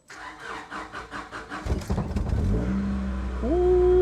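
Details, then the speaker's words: Honda Integra DC2 SiR-G B18 engine, first start in over 6 years with fresh oil and gas, no belts fitted: cranks a couple of seconds, catches cleanly, settles into a smooth even idle; normal start and idle. "she sounds good fired right up i gotta check for leaks might lower the rear down but oh baby that sounds smooth"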